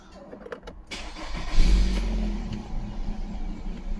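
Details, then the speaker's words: 2019 Nissan Pathfinder 3.5L with code P0101 (MAF range/performance), warm, in gear: engine settles into unstable loping idle that swells and sags; MAF reads about 3.5 g/s, suspected too low; stalls and ran worse cold. "Oh, now it's loping. Look at her. It's not as bad. See, I think our grams per second is too low."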